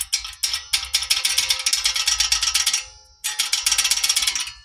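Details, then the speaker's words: Honda Accord 8th gen knock over bumps, inaudible in the cabin, heard with window open; suspension checked fine on a lift: quick bursts of tinny metallic rattling, two runs then dying away. Cause: poorly tensioned, loose parking brake cable. "Короче, ээ когда едешь на кочки наезжаешь, в салоне не слышно. Только открываешь окно, когда, допустим, лето у тебя начинает всё тарабанить. Вот такой вот это звук."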